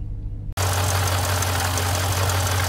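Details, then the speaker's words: 2015 Jeep Grand Cherokee SRT running steadily with a fast, light ball-bearing-type metallic rattle over the engine. Its water pump was failing. Water pump bearing rattle. "if you start to hear a little bit of rattle a little bit of like ball bearing type rattle and you know it's going"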